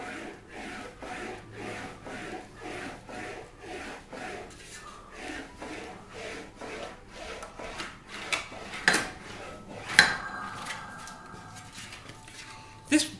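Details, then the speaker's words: English wheel shaping a Wolseley Hornet Swallow sports body panel, wheeling across after the first direction: soft even rasping swish about once a second, no rattle; panel now rolls smooth. "all the rattling noise is now gone and it's becoming a more smooth the noise"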